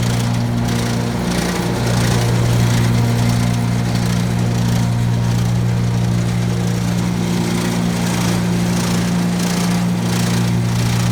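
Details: Brand-new 2017 Gravely ZT HD 52-inch mower, blades (PTO) engaged: loose uneven rattle over steady drone, apparently from the left deck belt; noise present since new, quieter when that belt's spring tension is increased.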